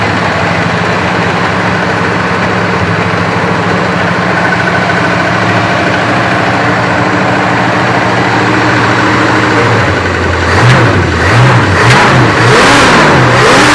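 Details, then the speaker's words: 1965 Chrysler 300 convertible V8 after replacing worn-bushing distributor with electronic ignition conversion, timing set: even idle then quick throttle blips picking up cleanly; previously stumbled above 2500-3000 rpm. Smooth revving. "Well, I can tell you one thing. It does rev up a lot nicer."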